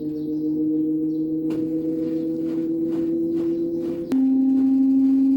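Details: Daewoo direct-drive inverter washer-dryer during spin as rpm rises: loud siren-like whine, not from bearings or drain motor; cause was a faulty hall sensor on the stator, replaced and noise gone.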